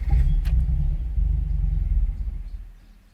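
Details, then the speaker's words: Supercharged Scion FR-S (86/BRZ) right after an ECU flash with a purchased tune: catches with a rough, uneven low rumble, then sags and dies within seconds; failed start from over-rich fueling after the reflash. "well when I first flashed his tune that I got which I paid full price for this was not a freebie uh flashed it started and this is what happened"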